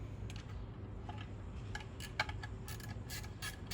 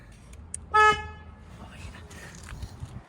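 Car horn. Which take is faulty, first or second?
first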